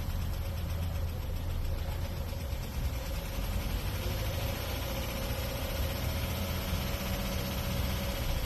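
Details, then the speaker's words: Chevy Cruze 1.4 at idle with code P0324: light rapid ticking rattle up top that mimics a collapsed lifter or rod knock; loose timing chain tensioner guide bolts, guide slapping. "it sounds like you got a collapse lifter or nog rock or something and your cruise 1.4 usually it's these bolts to the tensioner guide right here and as you can tell she's been jumping around"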